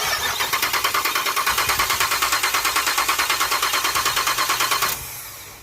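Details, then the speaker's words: 2007 Pontiac Grand Prix GXP with a stage 3 cam, after the rocker arms that weren't opening the valves were fixed and an adapter fitted, valve cover off: a smooth idle with steady fast ticking about three per second. The earlier deep 'doof doof' popping is gone. "all right now I'm not hearing that Doof Doof Doof I think that was it I think these uh these rockers weren't open in valves"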